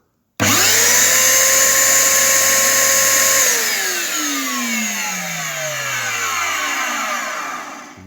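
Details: Genesis vacuum cleaner, one good unit built from two, after replacing a ring; it spins up fast to a steady, clean high whine and coasts down smoothly after switch-off, with no grinding or rattle.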